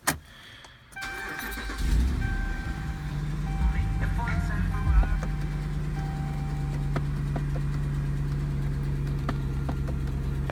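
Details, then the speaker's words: 2009 Dodge Ram 1500 with knocking in the dash: faint sharp ticks about once a second over a steady idle hum from the blend door actuator motor, with no airflow to the windshield. "вот так у нас ющий сета за звук стучащий а что это у нас такое это у нас как то это что это это моторчик который открывать меняет положение заслонки"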